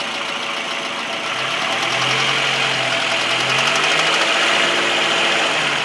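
Light, quick ticking at about three or four a second rides over a steady idle, bright and crisp; source not pinned down.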